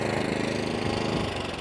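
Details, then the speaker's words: Atco Balmoral 20SK mower, Kawasaki FJ100 engine, after carburetor, fuel tap and fuel cap service following E10 fuel problems; small single holds a steady even beat under blade load, no misses or hunting; normal running. "But as you can see, that Kawasaki, straight up where it needs to be. It's lovely. It's a serious machine."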